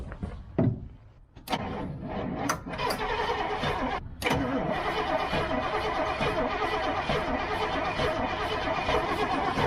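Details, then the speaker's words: Old GMC gasoline bucket truck cranks unevenly for several seconds without catching; crank no start, owners suspect carburettor problems, possibly vapor lock or a stuck float. "again like it gets Vaper lock when it wants to hit yeah yeah you know I think we just got some carb problems"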